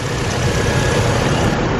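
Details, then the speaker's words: 2007 Chevy Colorado 2.9L four-cylinder after serpentine belt, idler and tensioner pulley replacement: steady, even idle with a smooth low rumble, previous squeak gone, no squeal or chirp; healthy belt drive. "So, everything looks good, sounds good. Really couldn't be more happy with all that."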